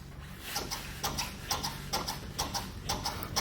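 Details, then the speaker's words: 1998 Toyota Tacoma 4WD, 257,000 miles, worked by hand: rhythmic rubbery creaks and squeaks about twice a second; worn upper control arm rubber bushing rubbing on the through-bolt, with large play. "so you hear the rubber bushing right here completely worn and that sounded noise it's rubbing it that main bolt which come through the whole assembly"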